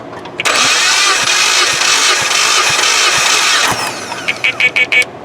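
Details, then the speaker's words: 2016 Jeep Patriot 2.0L with excessive blow-by, compression test on cylinder 3, previously low: steady even cranking about three beats a second; gauge reads about 190 but is about 10 psi high, so about 180; normal compression cranking. "Yeah, it's right at 190. So really these pressure ratings are 180, or 10 off is what I said."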